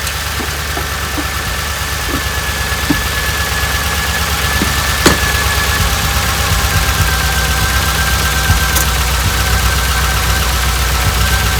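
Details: 1988 Dodge Ram W150 4x4 with TBI injection, first run after long storage with the fuel gauge below empty. Idles with a light regular tick about four per second and a rising whir; fuel pump working, noise normal for this engine.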